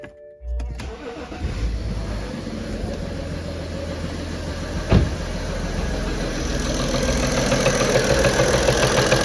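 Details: BMW 335d M57 diesel with the vacuum pump removed: a short crank catches with a new stumble, then a rough idle with dull repeated tapping from the top of the engine that improves as it warms. Owner suspects an injector, not confirmed.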